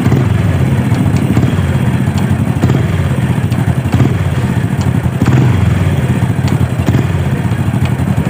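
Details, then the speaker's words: Supra single-cylinder motorcycle engine revved and let drop back: loud idle with sharp, irregular taps as revs fall; owner suspects the clutch area inside the right-side crankcase, not confirmed. "uh ya saat kita gas nih ya dia akan ada suara saat turun RPM saat kita turunkan gas di ada suara tak tak tak bisa teman-teman dengarkan nih"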